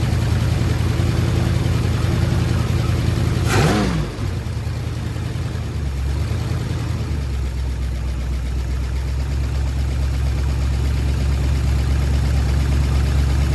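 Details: Ford Sunliner after new starter and carb cleaning, fresh start: low steady idle with uneven puffing tick two or three a second; really bad exhaust leak at front pipe joint, black soot, to be resealed with high-temp gasket maker.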